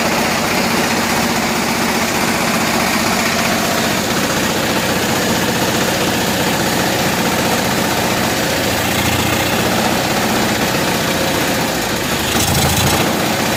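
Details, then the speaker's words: Loud, uneven, choppy idle from a cold 7000-watt Kohler generator in a bus; it runs rough, and opening the choke fully made no improvement, so the choke is ruled out and the cause remains unfound. "let's go inside and start it up it's running rough but it is cold"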